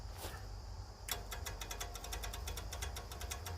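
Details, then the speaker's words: 1970s Layton roller compactor with Ford Taunus V4: electric fuel pump ticking about eight clicks a second over a low hum and sounding weak; battery possibly dead. "oh it doesn't sound good though does it but then again this battery might be dead"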